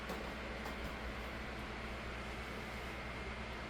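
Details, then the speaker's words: 2007 Holmes 12-inch desk fan HDF-1209, cleaned and serviced, high-rpm 16-inch motor driving a low-pitch 12-inch blade, on low speed; steady, even rush of air over a constant hum, no knocks or rattles; runs smoothly but loud. "as you can hear the low speed is not very quiet it's already"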